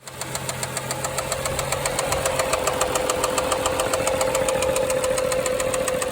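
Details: BMW N55 535xi engine suddenly knocking, stalling and shutting off in stop-and-go highway traffic, knock growing louder on restarts; idling petrol engine with a sharp regular knock, three to four beats a second. Valve cover inspection showed chain, camshaft, springs and rollers intact.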